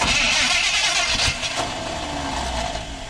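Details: 1980 Chevy 4x4 squarebody with rebuilt Quadrajet, fuel bowl just filled: starter keeps whirring with uneven chuffs but engine never catches during long cranking, then begins sputtering.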